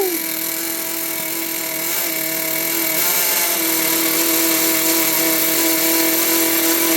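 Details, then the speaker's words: 1992 vintage Traxxas Nitro Hawk nitro RC stadium truck, revived after sitting: small engine screams at a high, steady pitch that wavers slightly now and then, running high and uneven; owner notes she's not that great. "running a little bit lean, or the engine is not going to run properly, guys."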